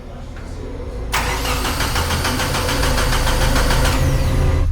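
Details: 1995 Mitsubishi Eclipse 2G DSM, first start attempt after two years sitting, Nexus S2 ECU, no intercooler piping or radiator: starter chugs about three times a second but never fires; cranks, no start, before a fuel rail leak found.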